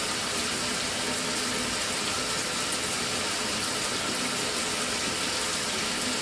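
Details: Mira (Zora) shower after replacing the faulty solenoid valve that made flow stop and start intermittently a few minutes after switch-on: even hiss of running water throughout, no stops or pulsing; stable, healthy flow after repair.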